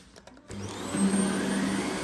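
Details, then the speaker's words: Dyson cordless vacuum on plus mode, cleaner head on flattened carpet: motor spins up to a steady high whine and holds pitch with no bogging or stalling; brush bar running normally. "The brush bar spins absolutely fine with no signs of stalling or slowing down."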